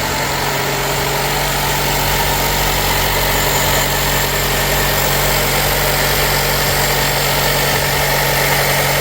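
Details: Nissan Qashqai after an engine change (the original ran out of oil and rattled and knocked). First start and test drive give a smooth, even engine hum under road noise, with no knocking or rattle.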